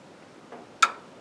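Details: Speed Queen electronic control board with front panels removed: one sharp click as the control panel is switched on and the LEDs come on blinking, in a quiet room; normal relay click at power-on.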